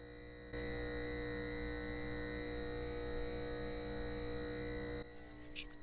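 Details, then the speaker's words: Atari 800 audio output heard via microphone held close to the screen: constant buzzy high-pitched whine, present on all the owner's 800s, worst on this one, absent on a 1200 XL with the same cable; owner suspects a faulty 800 part. "hopefully that's coming through and that high-pitched screen whale whatever you want to call it is pretty consistent in the 800s that I have to to a greater lesser degree I think this one's the worst"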